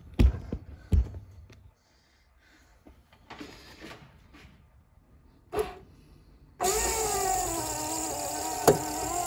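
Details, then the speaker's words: 1964–66 Ford Thunderbird convertible rear quarter power window regulator after rebuild and track adjustment: steady motor hum with a faint single creak near top of travel, much quieter than before repair. "got one little creek [Music] got a little noise when it goes to near the top [Music] hear that but it's not as loud it's much quieter than before"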